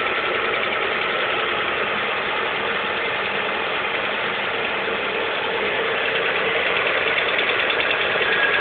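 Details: Lada Priora 2 with 21127 engine, 5,000 km: fast, fairly even light ticking knock over the engine hum at cold idle; cold-engine knock, source unknown.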